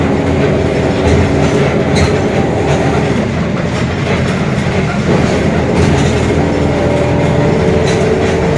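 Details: Mercedes-Benz OF-1721 Bluetec 5 extended urban bus, Mascarello GranVia Midi 2014 body, built 2021, at cruise: a steady low drone and growl under the road rumble, from a growling differential.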